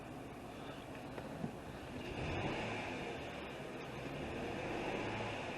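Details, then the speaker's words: 2003 Acura TL V6 idling with a lumpy, uneven beat after codes were cleared, check engine light flashing and multiple P030X codes set; it feels like a single-cylinder misfire. "you can feel it feels like it's only one cylinder my guess is whatever cylinder comes back first is a misfire this is gonna be the one i'm gonna look at first"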